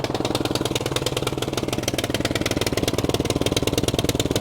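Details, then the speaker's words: Cub Cadet 3X 30-inch snowblower that only ran on choke, after full carburetor cleaning of three clogged jets, ethanol-free gas: full choke, primed three times, one pull; quick, even popping about four per second, running cleanly on choke. "We're gonna take our choke, turn it all the way to on. We're gonna prime it 3 times. It's 1, 2, 3. And from here, let's give it a pull. Oh yeah."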